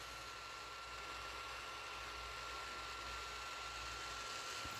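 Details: Desktop PC that freezes: loud, steady cooler fan rush with a thin constant whine; owner suspects the motherboard, cause unconfirmed.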